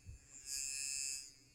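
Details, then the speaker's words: DSPIAE electric reciprocating sander Pro after about 6 months of use: a thin, high-pitched howl swells for under a second with no pad chatter; the motor screams while the drive has locked up. "It now stops. Oh, now it's totally locked up. It's not reciprocating."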